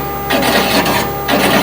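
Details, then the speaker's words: Sedona Elite/BC coffee roaster heating: two half-second bursts of dry scraping over a steady hum as a misaligned drum rubs the front plate; fixed by turning the front bearing adjuster clockwise, its set screws adjusted with a 2.5 mm hex key. "So if, for example, you started to hear the grinding of the drum against the front plate when it's being heated, it would sound kind of like this."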